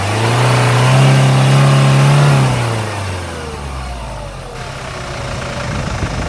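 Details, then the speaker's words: Hyundai Grand Starex diesel revved from idle toward 2,000 rpm: a steady low whistle is loud up to 2,000 rpm and fades above; source questioned between turbo, generator or A/C; turbo suspected. "When I stepped on the accelerator pedal From idling to 2,000 rpm, it's loud Since it's over 2,000 rpm, the volume is going down"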